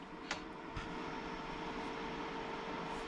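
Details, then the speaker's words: GoldenMate 1000VA/800W LiFePO4 UPS running on the floor: low, steady fan hum with a faint constant whine and a couple of light clicks at the start; quiet, normal fan operation. "so there is some fan noise now a lot of people have been complaining about how loud it is I personally am not bothered by it it is quite quiet"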